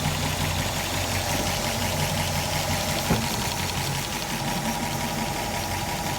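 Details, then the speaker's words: Graymarine 138 AMC V8 in an early-60s 23-ft Lyman, right after priming the worn oil pump with SAE 30: steady, even idle with smooth low rumble and no knock, oil pressure up immediately; normal idle. "Look at that. Come right up. Didn't even have to raise the throttle. Plenty of pressure. Raise throttle. Old grill still sounds good yet."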